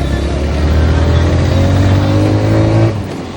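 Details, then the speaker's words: Vehicle under restoration, push-started after a flat battery: engine runs steady and even as revs climb smoothly and ease off, no stumbling or missed beats; normal running, no misfire. "വേറെ മിസ്സിങ്ങും കാര്യങ്ങളൊന്നും കാണിക്കുന്നില്ല."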